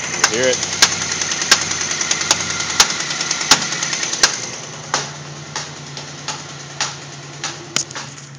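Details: 2000 Pontiac Grand Prix GT, cranked with #6 spark plug plugged in: sharp loud pops about once a second over rough idle, only that loud with #6 connected; owner suspects ignition problem; engine popping at idle.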